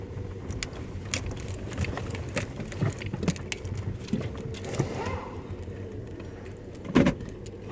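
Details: 2014 Toyota Vios/Yaris crossing speed bumps at low speed: scattered knocks, then a dull thud from the front wheel/suspension area; shock absorbers checked, not leaking.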